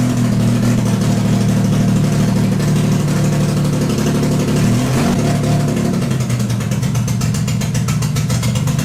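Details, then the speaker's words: Cammed full-bolt-on Infiniti G35 V6, first start after crash rebuild: loud, uneven lumpy running; code and data log showed exhaust cam bank 1 out of timing by -45 degrees. "Alrighty guys, so I do have to rain on my own parade over here because at this time I was so excited to hear the car start, but once I hooked up the computer to it and read the codes, I did see that exhaust cam bank 1 was unfortunately out of time."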